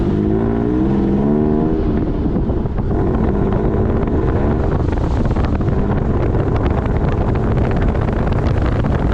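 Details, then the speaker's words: Toyota pickup with 3.4L swap on first drive, earlier loud rubbing from about 10 mph with hubs locked; driving in two-wheel drive shows even engine and road drone, only brakes audible, no rubbing; noise traced to the four-wheel-drive side. "well nothing really sounds or feels abnormal i can hear the brakes but that's about it"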